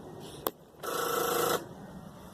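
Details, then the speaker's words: No-start car with dash lights on, key turned, foot on the brake: a single click, then fast buzzing solenoid chatter for under a second with no cranking as the dash lights go out; indicates a weak, dead battery. "That is an indication of a bad battery. How can we tell this? So, first off, we're hearing a lot of clicking."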